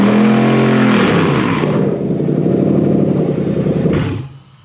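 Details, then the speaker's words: Toyota 3UZ-FE VVTi V8 freshly wired to a Haltech Elite 2500 loom: revs climb cleanly, hold, then drop back evenly with no misses or knocks. Normal revving. "Anyway, does it go? Brum brum. Pretty sure it does. The earmuffs are required."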